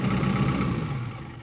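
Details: Diesel machine that wouldn't start, just after a fuel filter replacement and priming to bleed air: steady low idle with an even, smooth beat, no misses or knocks; rail pressure later checks good.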